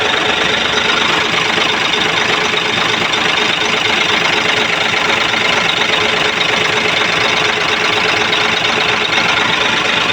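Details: Hino 700 truck diesel that had been cranking without starting, fixed by bleeding the feed pump. Even, steady diesel clatter at a constant idle with no misses or hunting. It idles normally.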